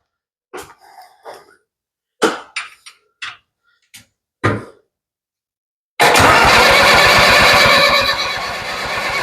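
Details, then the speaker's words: Ford 7000 diesel tractor, cranking with all injector line bleeders open to purge air, closed one at a time; a few knocks, then steady rapid cranking catching unevenly; stumble from air in injector lines. "All of those bleeders are open, and it did stumble. So I'm going to crank on it some more, and I'm going to shut these one at a time, and worst case, it'll start."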